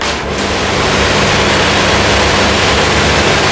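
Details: Pressure washer boiler (Mazzoni PCB) with trigger pulled but thermostat turned off: steady airy rush from the burner fan with no flame roar or ignition pulses, fuel not introduced, as expected.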